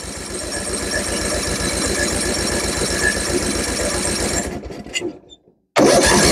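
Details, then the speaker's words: Tractor with spark confirmed and a repaired carburetor, fuel added: rough chugging at about four beats a second for a few seconds, then it fades and stalls. Owner suspects valve clearance; unconfirmed. "Oh. Qu'est-ce qui se passe? C'est bloqué, ça tourne plus. Qu'est-ce qui se passe? Elle démarre pas."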